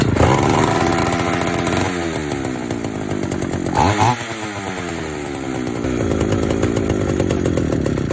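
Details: Vintage Pioneer P41 66cc two-stroke chainsaw after a carb rebuild: runs on its own with a raspy, slightly hunting beat while the idle settles; running normally.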